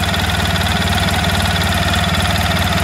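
Steady, even idle with a regular low thrum about two pulses a second and a light whirr from the spinning clutch; sounds healthy.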